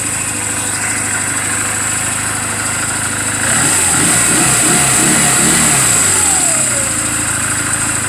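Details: 2007 Honda Rebel 250 idling after the owner's own valve clearance adjustment, offered as a reference for others checking theirs; even, steady thump with a brief throttle blip returning cleanly, no valve tick or clatter. Normal idle.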